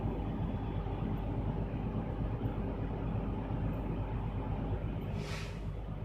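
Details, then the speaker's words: Truck air brake test at idle: steady low diesel rumble with even compressor chuff, no knocks or hiss. The low-air warning went off at 80 PSI and the last 30 PSI from 100 built in 34 seconds; normal idle with the compressor building pressure. "So once my PSI reaches 100, my last 30 should build up into 45 seconds. We will start counting once my PSI reaches 100."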